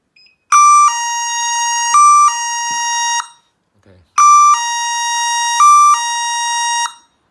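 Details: Solar wireless infrared beam sensor set with solar siren and strobe: two loud three-second bursts of shrill, stepping two-tone siren, one each time the beam is broken; the sensor triggers the alarm.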